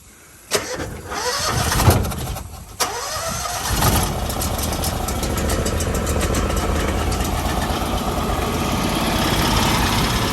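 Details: Argo 6x6 amphibious ATV with Honda engine: two short cranking bursts, then it catches and settles into a steady, even idle; engine starts and runs normally despite broken axle and a chain that looks to be missing.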